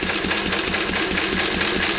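Quick, even firing pulses that hold a steady rhythm with no misses or knocks; this old engine runs cleanly.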